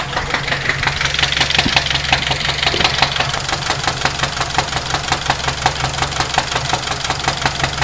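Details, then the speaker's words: 2006 Saturn Ion warmed up at idle: sharp, rapid, steady top-end ticking over the engine hum, described as terrible and upper end. Engine was ultimately replaced. "Definitely sounds like top end. Wow, that is a terrible, terrible sound. Sounds like upper end."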